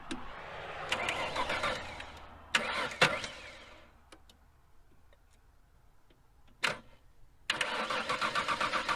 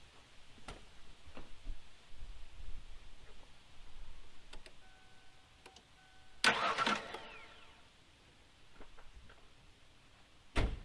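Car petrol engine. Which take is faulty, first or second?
first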